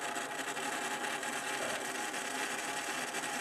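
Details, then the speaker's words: Small 3 V DC motor at 5 V driven by Arduino Uno PWM via a 2003 driver, duty cycle increased: even buzzy whirr and thin steady whine, speeding up with duty cycle, no knocks or grinding; normal. "The more the duty cycle it gets, the faster she goes."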